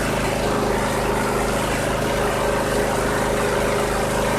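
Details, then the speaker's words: 2001 Cub Cadet 3184 (MTD), 848 hours, previously running rough, after tune-up (oil change, cleaned clogged air box, carboned plugs serviced and regapped): small twin in a steady, even idle, smooth firing beat, no misses; started instantly, no leaks. "Oh yeah, I can already tell, 100% difference. That started up instantly, gotta like that. I don't see any drips or leaks."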